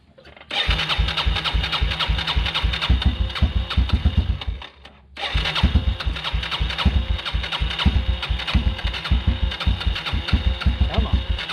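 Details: 1996 Yamaha Timberwolf 250 ATV single-cylinder, after fuel system cleaned and bad gas drained (had been starting then not staying running): catches right away, steady thump, dies briefly, refires and idles evenly; now runs fine, though carburetor overflow drips.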